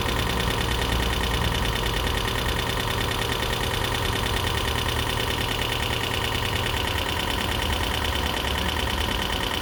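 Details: 2012 Prius V after a head gasket rebuild and computer replacement; at idle there is a loose, uneven top-end knocking about twice a second, believed to be lifters adjusting and expected to clear up.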